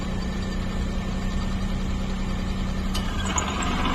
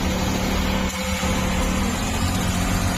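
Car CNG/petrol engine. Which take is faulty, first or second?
first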